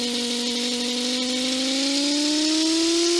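Steady whine in the headset that slowly climbs in pitch with faint ticking behind it; electrical interference of unknown source.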